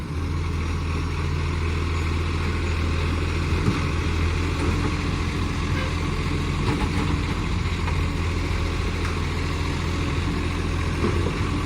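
Deep, steady diesel idle with a harsh chuffing rasp riding over it, typical of a big exhaust leak near the manifold.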